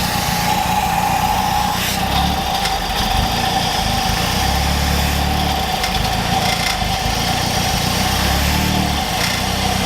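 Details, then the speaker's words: Mazdaspeed3 being Seafoamed before an oil change, cleaner fed slowly through an unhooked vacuum line: idle hunts and sags every few seconds, low rumble swelling and dropping, choking in and out; expected rough idle from cleaner ingestion. "now because of that vacuum line that we just unhooked the idle is going to be really weird so expect it and it's gonna wanna choke in and out as you feed the seafoam slowly into the motor"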